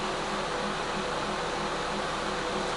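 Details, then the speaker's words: Older microwave/convection oven on combination cook at 250 degrees, top and bottom elements assumed: smooth steady hum and even fan whir, no buzzing or arcing; reaches 188 degrees. Normal running. "Now it's on combination cook, so I assume it's top and bottom heating elements."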